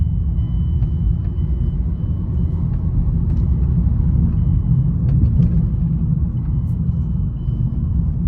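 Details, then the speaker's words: 2009 Mazda 6 driven after replacing a worn front wheel hub bearing that had been grinding: only a smooth, steady low road rumble with no grinding or growl, normal wheel bearing. "oh my goodness that is so much better no noise at all"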